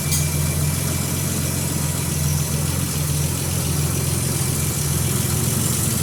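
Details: Nissan Z31 2+2 at idle just after installing a new home-built 3-inch downpipe: steady, even low idle with a deep exhaust note and no knocks, misses or ticks, not much different from before; normal idle.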